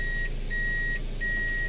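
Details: Reverse warning beep on a Toyota Corolla Altis automatic, after no-crank/no-start diagnosis and shifter cover removal: clear high-pitched half-second beeps repeating roughly every 0.7 s over a low cabin hum; reverse warning working normally.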